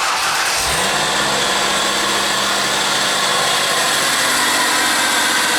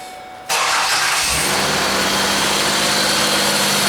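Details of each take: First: Ford Escape with a junkyard A/C compressor: engine starts and idles under a loud, rough whirring grind from the worn compressor bearing, before compressor replacement. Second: Ford Escape started after serpentine belt work: the engine catches cleanly and settles into a smooth, even idle with no bearing whir or chirp, as quiet as when it ran with the belt off.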